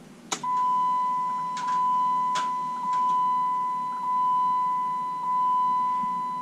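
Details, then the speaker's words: Panel van project, not fully wired, key turned to start: sharp relay clicks over steady pulsing warning beeps, fuel pump runs but starter never engages; cause unknown. "Now, you can hear relays clicking when I turn the key, but let's see, the fuel pump goes, but I don't actually get a starter."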